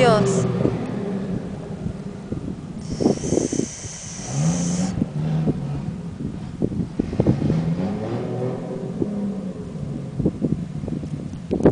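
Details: Toyota Supra, naturally aspirated converted to turbo, being tested the day before a race: choppy, uneven revving with stumbles and dropouts as the throttle is blipped, consistent with a misfire; cause unknown.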